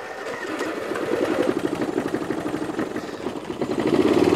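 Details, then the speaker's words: Toro Wheel Horse 1238XL lawn tractor, cold start after sitting overnight with a recently replaced magneto: slow starter cranking, then the small engine fires off choke at low throttle and settles to an even, steady run; normal cold start. "actually starts well off choke like almost like low throttle it starts well anyway I just wanted to start it up to see if it started starts up well"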